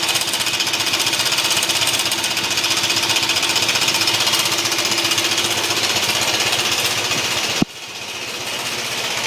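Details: BMW C1 200 scooter engine running with a harsh, rapid hammering knock, about four blows a second, like a jackhammer; very terminal-sounding, cause unknown.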